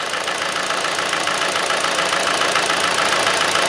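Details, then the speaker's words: Hyundai/Kia 2.0 engine after a timing chain replacement, warming up at idle: it runs unevenly with a lumpy stumble about twice a second, and the scanner shows P0303, a cylinder 3 misfire. The earlier clacking noise is gone. "Alright guys, it still got this misfire. We put a scanner on it and we got a P0303 cylinder 3 misfire."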